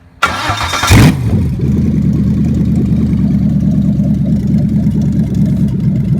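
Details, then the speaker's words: BMW 4.6 swap starting on the ground with no MAF, no cats and open headers: cranks, catches after a second, then a loud, deep, slightly uneven burble; rough idle expected from missing MAF. "It's gonna run a little rough because we have no MAF. I got one wire in for that, and we have no cats, open headers, but"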